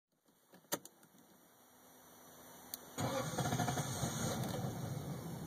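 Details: 1998 Lexus LS400 that bogged down and died on the highway, four days later; battery terminals cleaned, fuses and relay checked fine; starter turns the engine at a steady, even rhythm but it never fires. Crank no start, cause not yet found.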